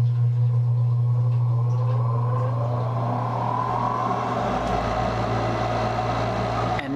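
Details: Gas furnace inducer (exhaust) fan motor after replacement and reinstallation: low steady hum with a smooth whir climbing in pitch as the fan spins up, no scraping or rattle; normal inducer fan run.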